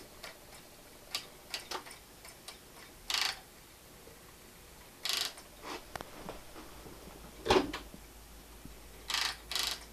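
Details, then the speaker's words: Panasonic 3DO FZ-10 optical drive with a previously seized motor: on startup it gives irregular bursts of sharp ticking and rough grinding instead of a smooth whir, still sounding bad. "mean starting but it doesn't sound good still grinding along"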